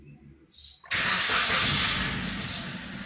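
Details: Suzuki Cultus/Celerio/Wagon R after throttle body reset and fault codes cleared with a scanner: short cranking, then catches at once into a steady even idle with no misfire; normal start, check engine light cleared.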